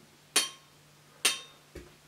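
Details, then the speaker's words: Used crankshaft tapped on the connecting rod to check the big-end bearing: two sharp taps give a bright, high metallic ring instead of the dull, deep sound of a new crankshaft, showing a worn big-end bearing with play. "Das ist eher so ein metallisches Klingen. Also das hört sich eher heller"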